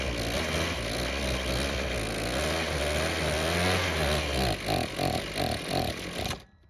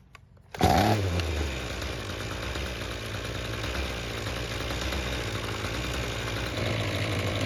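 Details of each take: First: Ryobi string trimmer that wouldn't start, after carb cleaning with the idle screw turned back in: uneven buzz breaking into sputtering bursts, then dying. It runs mostly choked but struggles once the choke is off, pointing to a fuel or carb problem. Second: Ryobi string trimmer that wouldn't start, after a second ultrasonic carburetor cleaning with no adjustments: starts straight away and settles to a smooth, even buzz with no stumbling or surging. Runs properly.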